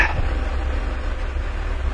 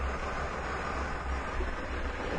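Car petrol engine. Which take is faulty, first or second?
first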